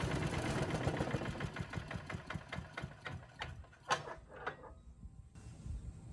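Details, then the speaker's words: Yard Machines chipper with Tecumseh single-cylinder engine, salvaged from trash, fresh oil and gas, some water possibly still in oil: started first pull, loud, quick fairly even chug at high and low speed, then tails off; running well. "thing's loud but it's running well now so no problem started first pull runs at high speed and low speed"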